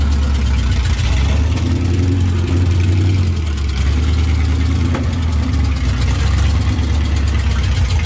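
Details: 1978 Dodge Power Wagon V8 after long-tube headers, new starter, tuning and oil change: deep, steady, even idle with strong low rumble, no knocks or misses; healthy.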